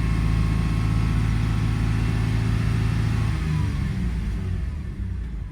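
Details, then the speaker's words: 2002 Toyota 4Runner with a start-stall complaint and multiple cylinder misfires, idling in closed loop at 161° coolant temperature: a deep, even engine note that settles smoothly with no stumble; normal idle. "So, it's in close loop now. That's good. Let's take cooling temperature 161. Oh, it's settling in really nice."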